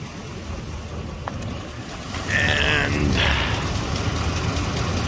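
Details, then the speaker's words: Warm idle on a 4th-gen Ram 1500 Hemi V8 before Pace Setter header install: quick steady puffing tick, three or four per second, from an exhaust manifold leak, worse on driver's side; manifold rear bolts not fully secured; owner suspects possible bad plug. "i might have a bad plug in it too hopefully not but i mean you can hear the exhaust leak but i mean the back backs of the manifolds aren't even secured down completely so it's definitely a lot worse on the driver's side here"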